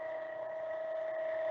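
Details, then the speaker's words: MF 200 cavitation trainer hydraulic pump with an inlet valve opened to admit air, inlet restriction dropping from four inches of mercury: steady high whine with faint hiss growing louder as air is drawn in, aerating the system (pseudo-cavitation). "now there it come i'm now going to aerate my entire hydraulic system so the air is coming in there it's going through the line here and in a moment it's going to look as though the oil is actually boiling as it comes through the return line"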